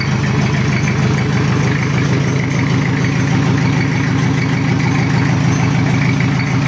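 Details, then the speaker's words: Toyota Kijang diesel after cracked-block repair with new water pump, not yet at normal temperature, oil still cold: even idle clatter, steady rhythm near 100 beats a minute, no stumble or knock; oil pressure high, expected to drop to 2–3 bar. "ini masih belum suhu normal dan oli mesin Masih dingin"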